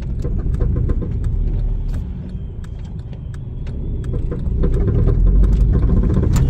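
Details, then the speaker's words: 2007 Honda Civic (8th gen) driven at some speed: quick, uneven clicking about three or four a second over road rumble; both axles suspected, from both sides, likely needing replacement, not confirmed. "You can hear और ये सिर्फ एक side की नहीं है ये दोनों साइडों की आवाज है एक्सल की सो एक्सल तो इसके दोनों ही चेंज होंगे"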